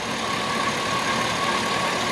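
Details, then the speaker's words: Chevy Tahoe 5.3 LS V8, bought not running and long unused, later in the run after corroded grounds were fixed: steady, even idle with no top-end ticking; runs smooth and quiet, far better than it sounded earlier. "But look at how smooth that thing runs and how quiet that is. I mean, that's amazing for what it sounded like before."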